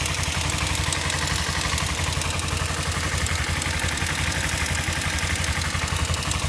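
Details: Kawasaki Ninja 250 twin at idle: fast, light ticking rides on the steady idle throughout, apparently from the top end; cause unknown.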